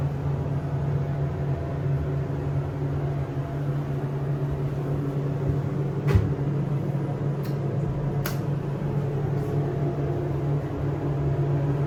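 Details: SEIM screw pump in machine room of elevator modernized a few months earlier, replacing old Dover: loud steady level low drone and hum; pump very noisy, cause unknown.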